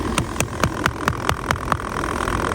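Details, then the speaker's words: Pond filter after cleaning cycle failed to empty: sharp regular clicks, about four or five a second, over a steady hum, then stopping; automatic waste valve suspected failed, replacement planned. "So guys, we've just run that through the uh cleaning cycle and it hasn't emptied, which is a bit of an issue, which means that this isn't working. And I can actually, if you come closer, you can hear that's clicking."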